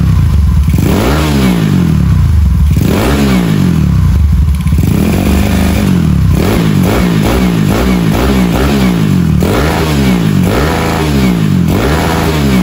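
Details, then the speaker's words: Rebuilt Honda Beat carbureted 130cc daily, stock valves, in frame, carb tuned, quiet exhaust: repeated quick blips, revs climb sharply and fall back cleanly; healthy free-revving engine. "Oke, kalian sudah dengar sendiri untuk gas-gasannya, respon-responnya seperti apa. RPM-nya cepat banget naik."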